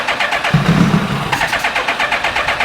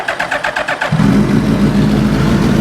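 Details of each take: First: 2000 Suzuki Hayabusa with a possibly newer (about 2002) engine, after new coils, code C21 (believed airbox sensor), low on fuel: even cranking about four pulses a second, no firing; crank, no start. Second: 2000 Suzuki GSX1300R Hayabusa with a possibly newer (about 2002) engine, after a new plug and rechecked injectors: short starter whir, catches within a second and settles into a smooth, even idle on all four cylinders.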